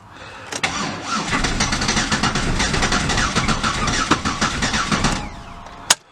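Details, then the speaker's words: Auction Chevrolet Impala with a reported motor tap, on makeshift battery hookup: starter churns quickly and unevenly for five seconds without catching; cranks but won't start, owners judge the motor trash. "like this motors trash too so it was a bust"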